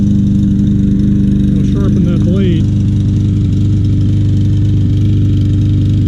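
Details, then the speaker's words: Troy-Bilt TB200 mower, 150cc Briggs & Stratton engine, after carburetor and tank cleaning, fresh gas: loud steady drone but labouring unevenly, strained and rough rather than a clean idle; engine miss persists. "that's struggling but it's running i'll let it run a while see if it smooths out"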